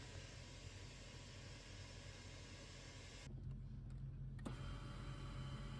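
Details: Climma AC plant after repairs (inverter board swapped, burst glycol pipe and flow meter circuit fixed): steady low hum holding an even tone, no knocking, rattling or squeal; running normally.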